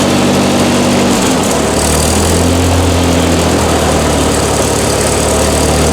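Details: Old engine just started, on choke: rough idle with a fast, uneven flutter about four times a second, first suspected as the just-replaced water pump but found to be a loose engine fan flapping on its bolts.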